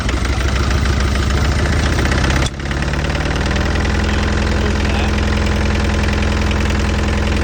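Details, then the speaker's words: Diesel mini excavator after running out of fuel and changing both fuel filters: lumps along unevenly with loose irregular knock, dips and stumbles then steadies; air still in injector lines being bled. "we're just basically working our way through all the fuel lines and getting all the air out get that air out it won't run with air in the lines"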